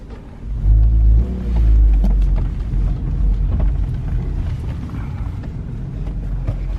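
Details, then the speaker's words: Porsche petrol engine, started right up after sitting 10 years, idling with a deep, even, quiet rumble and no knocks, ticks or rattles: normal idle. "this car runs like a top like it literally started right up after 10 years and it's perfect quiet"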